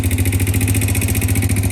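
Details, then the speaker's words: Honda TRX90 barn-find ATV after valve adjustment, CDI swap, idling: fast even ticking keeping pace with firing; valves sound loose, owner thinks they could be tightened; valve clatter. "It sounds like maybe I could tighten them up,"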